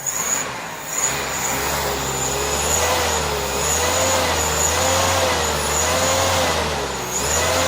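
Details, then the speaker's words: Suzuki Carry van alternator converted to AC motor, field voltage regulator tuned to just below saturation: steady low hum, thin high whine, gentle slow waver, running smooth and even; healthy. "I got up to that point where it wouldn't take anymore the saturation point and just backed it off a wee bit and seems to be where it runs the best"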